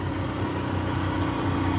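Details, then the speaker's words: 1987 Johnson 40 hp two-stroke outboard, in the water and warmed up: even, steady burble with no misses or knocks, running smoothly; earlier it wouldn't reach full speed. "See, she sounds great."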